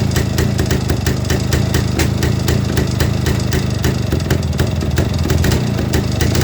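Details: 1958 Kovrovets K175 two-stroke, just assembled, electrics not working, starting current 220V rectified from 6V: steady quick popping idle with sharp exhaust crackle, running evenly; normal idle.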